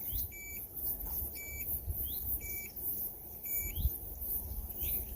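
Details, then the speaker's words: NANOVA D1 portable mini dishwasher, powered on with too little water inside. Repeated short high beeps, about one per second, over a quiet room; this is the low-water warning, which stops once enough water is added and the cycle starts. "Donc, là, quand on va venir appuyer sur play, ça va faire un bip, vous allez l'entendre, et en fait ça vous dit qu'il n'y a pas assez d'eau en fait à l'intérieur et qu'il faut en remettre."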